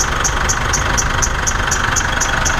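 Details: Mitsubishi Triton at about 70,000 on the odometer, cold idle in the morning: a high chirp about four times a second over a steady squeal; the drive belt is squealing off a surface-rusted idler pulley, temporarily sanded and silicone-sprayed.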